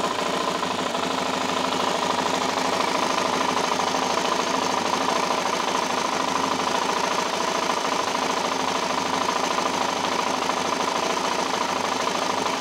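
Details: LTZ 400 engine at steady idle with a fast, light ticking about three times a second over it; something is ticking in the top end, cause unknown.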